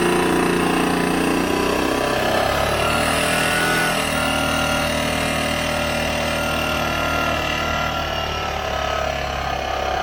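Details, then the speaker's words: Vespa ET4 scooter rebuilt from a box of parts, second start attempt after engine fitted: loud, uneven, raspy lumpy beat about three per second, some smoke, likened to a sewing machine; rough running, cause not found. "sounds more exhausting sure that sounds more exhausting than it does yeah that's a sewing machine that's the noise that's happening"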